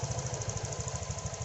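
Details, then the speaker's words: Honda Vario 125 FI scooter after repair of idle RPM fluctuating up and down by itself; now putters at a low, even, stable idle with steady pulses and no surging. "Sekarang putaran mesin saat idle sangat halus. Sekarang, levelnya bisa rendah dan tetap stabil ."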